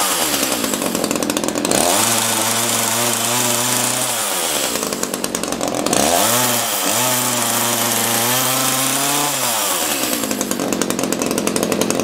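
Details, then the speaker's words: Echo CS-330T top-handle chainsaw, rough-running, oil-leaking and unused for years: at full throttle it screams and sags, revs hunting as if lean up top. Suspected to need a carb kit and richer high-speed adjustment. "turn that high speed adjustment out a little sounds like it's starving at a high speed probably needs a carb kit"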